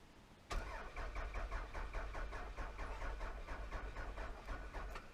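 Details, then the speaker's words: 1999 Toyota Solara, hot-wired; starter spins the engine at an even chug about four beats a second for five seconds but it never fires. Owner suspects it is out of gas: fuel gauge on empty, no fuel pump heard. "course it's probably out of gas i didn't hear a fuel pump looking at the gauge there she says she's on empty so it probably is"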